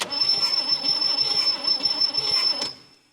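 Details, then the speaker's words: 1959 Chevy Biscayne 6-cylinder, freed after being seized through about 20 years of storage, cranked with a healthy dose of gasoline, points on, a little throttle: labored, uneven cranking a little over three turns a second, dying abruptly as the starter quits; never fires. Owner suspects the starter is on its last leg. "come on God it's like it's it's almost there and the starter just craps out"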